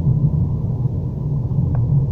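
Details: Renault Duster that had a single knock over bumps, when pulling away and when braking, after the subframe bolts and mounts were checked: steady low road rumble with no knocks or clunks over bumps; suspension now quiet.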